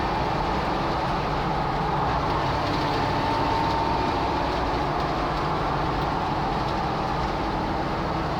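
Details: Jeep TJ while driving: a thin, steady high-mid whine over the constant driving rumble, pitch barely changing. Odd whine, source unclear.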